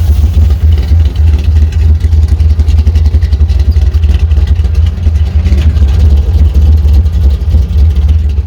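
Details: Chevrolet C10 with carbureted V8 after last-minute repairs, running a few minutes to purge air from cooling system: deep, even idle with regular lope, no misses or stumbles.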